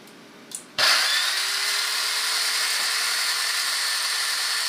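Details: Breville BCG450XL coffee grinder after replacing two faulty capacitors on the main board to fix a loss of power: the motor spins up quickly to a steady, even high whir with a faint constant tone and no rattle or grinding, running normally.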